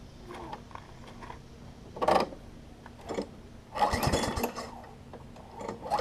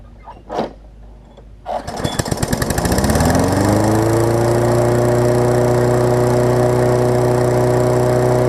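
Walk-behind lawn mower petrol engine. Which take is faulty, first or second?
first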